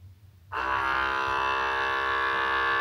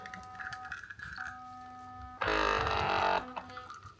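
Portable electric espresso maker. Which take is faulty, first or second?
second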